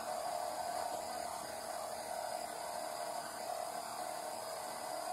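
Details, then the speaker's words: ZX Spectrum Interface 1 real microdrive 2 writing a file copied from vDriveZX SD-card virtual drive: steady even whirr, constant mid tone, soft tape hiss, clean stop; writing normally. "writing that file to the real micro drive cartridge on the real micro drive which is micro drive 2."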